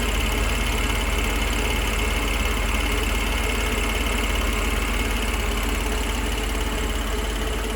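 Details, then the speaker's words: Rebuilt engine at idle, quiet and steady with an even low beat of about three per second and no knocks or misses; the engine is idling normally. "but as you can see it's really quiet there's no knocks"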